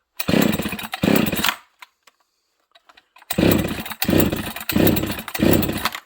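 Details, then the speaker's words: Husqvarna 268 chainsaw with a 272 air box, on a cold start at full choke: short, high-pitched, thin-screaming rev bursts with dropouts between them. It is running lean. "okay this is a cold start full choke [Music] this thing's probably a little lean"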